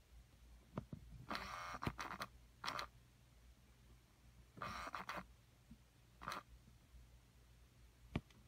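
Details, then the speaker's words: 2009-and-newer Ford compact temperature blend door actuator, microphone inside the dash by the HVAC box: short whirring motor bursts hunt back and forth at a spot on the hot side. Caused by contamination in the internal wiper track; the cold side is fine. "And you can see it hunting back and forth in there. until it finds position. See, the cold side's okay. A certain point in the track on the hot side and it'll hunt."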